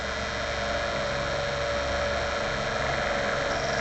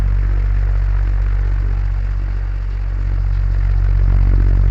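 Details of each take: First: DC solar fan after long use: steady whirring rush with a thin constant whine from the motor, caused by dust buildup and lack of grease or oil inside; fix is opening the fan and adding grease or oil. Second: DC solar fan after repair: smooth, steady low hum and soft air noise, much quieter than the earlier noise, normal running.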